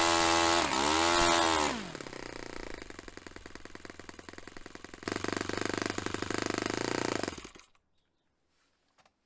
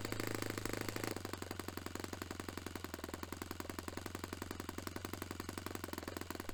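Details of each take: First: Restored Saito FA-45 Special model on test stand, 10% nitro fuel, low-speed needle richened; sharp fast-popping idle stumbles and cuts out after a few seconds on the fuel pinch test; lean idle mixture. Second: Restored Saito FA-45 Special glow engine on a test stand, 10% nitro fuel, warmed up. A crisp, steady high-revving buzz holds evenly without stumbles at a peak near 10,260–10,300 rpm, matching the manual's 10,300. Normal running at peak rpm; top end richened slightly.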